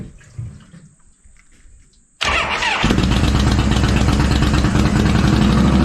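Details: 1985 motorcycle V-twin after ignition coil and starter solenoid fixes, gas pumped: starter spins briefly, engine catches cleanly, settles into a steady even loping idle; spark plug wires still need replacing.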